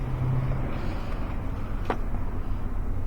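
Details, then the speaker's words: 2001 Toyota Sequoia 4.7-litre V8 running rough and losing power, with a flashing check engine light and codes P0300, P0307, P0308 and P0430: a stumbling idle with an uneven low thump, misfiring on two cylinders. "yeah i can feel this thing shaking and running rough check-ins and lights flashing and we're going to scan these codes"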